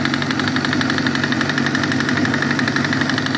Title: 1998 ZX-6R rod knock